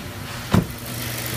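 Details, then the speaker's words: 4.2-liter V8 FSI engine jump-started from a completely dead battery with an Antigravity Micro Start: brief thump, then smooth steady low rumble as it idles evenly; normal idle. "So, out of this little thing, I was able to jump this V8 FSI motor, 4.2 liter."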